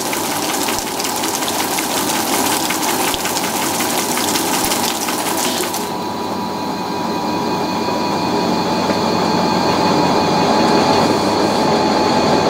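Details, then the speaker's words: Fisher & Paykel washer spinning a heavy, off-balance load after repair of a squeaking suspension rod: steady sloshing spin with even churn, no suspension squeak; normal spin, fix appears successful. "this is a pretty heavy load it's pretty off balance and i don't hear the suspension rod so that's a good sign that's a very good sign"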